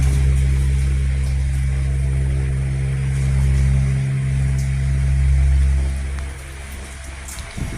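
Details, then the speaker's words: 12 V DC brushless electric fan motor after AC-to-DC conversion and bushing-to-bearing replacement: steady smooth low hum with no scraping, ticking or rattle; the noise is gone, running normally. "Okay na, wala na po yung ingay niya."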